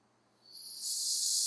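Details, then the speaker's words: Turbo Lexus IS300 intake manifold pressure test with shop air at about 25 psi, new ID1700 injectors: sharp high hiss holds steady; boost leak at number six injector not sealing properly. "Wow yeah this number six injector is not sealing properly it's already at 25 psi you can hear it change just with my a little bit of extra force"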